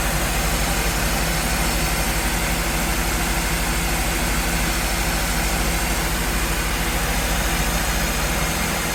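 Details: 2011 Acura CSX idling with AC on after a new compressor clutch kit (same kit as Honda Civic Si) was installed over an intermittently working clutch: steady even idle, faint constant compressor hum, no clicking or chatter; healthy.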